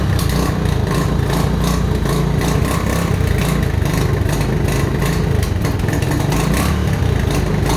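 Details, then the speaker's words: Mojave 250, year unknown, after timing chain replacement: fast, fairly even idle with slight irregular patter after earlier backfiring and smoke; owners think it's pretty close but may still need timing adjustment. "smoking a lot off that exhaust it doesn't sound like it's in time right see it backfiring"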